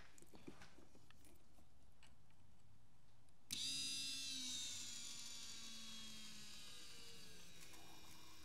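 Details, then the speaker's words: VW CJAA common-rail TDI after fuel filter replacement: filter housing filled with diesel to top of filter, primed without scan tool; sudden high electric whir settling in pitch as the pump primes normally to purge air before the CP4 high-pressure pump. "I'm hoping that should get the uh the pump happy okay so we got to fill to the just the top of the filter here now so we're gonna give it another try"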